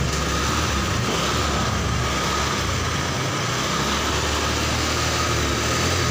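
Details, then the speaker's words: Honda Vario Techno 125 scooter that lost spark and died while riding, after cleaning dirt off the pulser: even, steady idle hum without stumbling or cutting out; ignition restored, normal idle. "Jadi ini motornya sudah hidup dan ini tinggal kita pasang aja guys."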